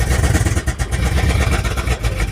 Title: dodge charger 2017 model misfire no engine power